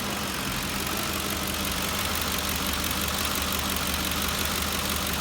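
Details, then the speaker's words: 5.4L 3-valve Ford V8 (2004-2008 F-150/Expedition/Navigator) misfiring only at idle with an uneven, lumpy beat, rpm fluctuating and dropping below 500. Code points to cylinder 7 misfire; the coil pack is suspected. "I've been experiencing a little bit of a rough idle and you can kind of see it moving up and down a little bit there"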